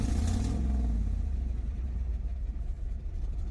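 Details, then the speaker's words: 1994 Chevrolet Camaro Z28 LT1, running hot near overheating: deep, lumpy engine note stumbling irregularly and sagging near stalling, missing hard and wanting to backfire; misfire traced to a blown head gasket. "it even sounds terrible right now you're missing hard oh wanting to backfire"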